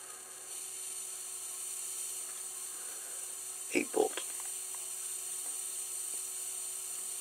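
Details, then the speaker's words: MFJ-4275MV switching power supply with voltage raised step by step from 10 to 16 V. It gives a steady high sizzling hiss with faint whistles and crackles: the capacitors are frazzled. "so um they're definitely um frazzled definitely so i'm gonna get a price on new capacitors for this thing tomorrow"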